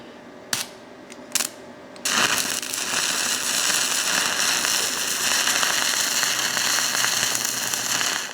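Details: Stick welding on the worn buckets of a Ford 555 backhoe using 7014 electrodes: a couple of sharp strike taps, then a steady, even crackling sizzle. A stable, healthy arc that gives a solid weld.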